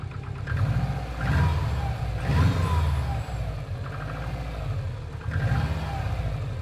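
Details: Subaru Impreza WRX GC8, EJ20G turbo blipped in short revs, dull repeated knock under each rise; driven a year, prior owner two years; told forged pistons knock, owner suspects connecting rod; unconfirmed.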